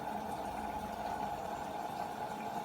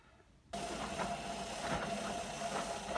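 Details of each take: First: Beko WM5100W washing machine on 40° cottons test wash with workshop rags: steady, even hiss of cold-only water filling the drum, no knocking or grinding. Normal cold water fill. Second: Beko WM5100W washing machine running a 40°C cottons test wash with workshop rags, in the wash phase and warm. There is a steady whirring hum with a faint whine and irregular knocks as the drum turns. The brushes are half worn. The noise is abnormal, but its source is unconfirmed.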